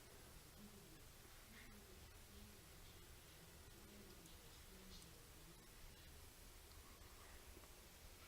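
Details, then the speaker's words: Newly installed 1500 W baseboard room heater warming on a 2600 W-rated electronic wall thermostat: quiet room tone only, no buzz or hum. Normal silent operation after replacing an underrated thermostat that had caused buzzing. "So it's warming, and you probably can see, can hear, there is no buzzing, no humming noise at all. It's very silent."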